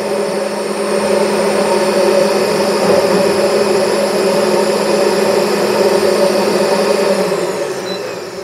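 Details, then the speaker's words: 2018 FLEX Walker floor machine vacuum motor after service; smooth steady whine, even pitch and level until it spins down; running healthy. "good sounds very very good"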